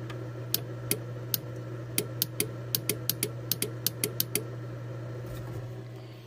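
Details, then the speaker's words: Thor motor coach DC power loss after shorting overhead lights: sharp irregular relay clicks over a low hum as the feed wire touches the back of the fuse panel; stuck-open relay. "My issue was a stuck relay switch, which you can hear clicking as I touch the wire to the back of the fuse panel."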